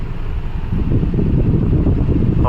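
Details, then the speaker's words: Honda Civic petrol engine with pickup drop, stalling over speed breakers, check engine light and heavy whole-car vibration: lumpy low rumble at idle with an uneven pulse under fan noise; misfire from a shorted ignition coil, one cylinder dead. "गाड़ी में pickup drop हो रहा है और और चलते चलते बंद पड़ जाती स्पीड ब्रेकर पर और अपना चक इजन लाइट भी आ रहा है साथ में और गाड़ी पूरा वा वाइब्रेट हो रहा है"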